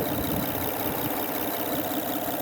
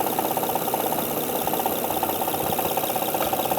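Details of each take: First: 2005 Honda Odyssey 3.5 L, almost 250,000 miles, top cover off, after timing belt refitted with new tensioner; smooth even idle, ticking gone, injectors faintly audible — normal idle after repair. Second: 2005 Honda Odyssey 3.5-liter idling with top cover off: sharp regular ticking, a little under three a second, clattering over the idle with some shaking, from a faulty timing belt tensioner; no check engine light, revs fine.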